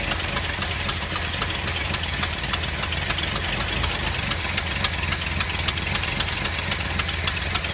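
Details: 4.9 L engine at idle: steady idle with sharp evenly spaced ticking over low rumble, beat slightly uneven; owner suspects misfire on cylinder 1, not confirmed.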